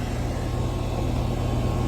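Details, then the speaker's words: Hayward HeatPro pool heater after replacing a failed 80/7.5 µF dual capacitor, 63 °F ambient: the compressor kicks on with a steady, even low hum and fan rush, no knocks or rattles; running normally. "All right, so the compressor just kicked on."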